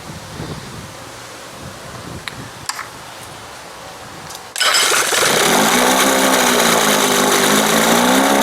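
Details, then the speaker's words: 1971 Johnson 20 hp two-stroke outboard after carb swap, leak cured by red retainer: motor catches and settles into fast, loud, slightly wavering buzz; idle too high because throttle linkage opens before the two cam marks and needs readjusting. "all of this linkage needs adjusting again damn and it's way up before the two marks so just as I start to roll it right there it starts to open as it gets between the two marks"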